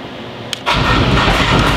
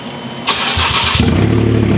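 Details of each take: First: Wrecked salvage Porsche Cayman with a cracked subframe, first start with key in neutral and clutch in: after a sharp crank the engine catches with a rough, harsh roar instead of settling cleanly; cause unclear. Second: Rebuilt wrecked Porsche Cayman with a cracked subframe, started with the key in neutral: brief starter whir, then it fires and settles into a loud, deep, even idle with no knocks or misfires; running normally.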